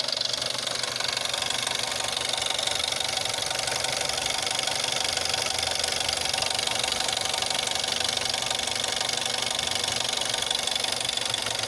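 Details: Jetta 6 1.4 TSI CAXA, 125,000 km, cold idle: sharp, regular light ticking about four a second, worst after 3+ days parked, gone when warm; first noticed at 60,000 km, timing chain not stretched at 100,000 km, timing-chain noise suspected, source unconfirmed.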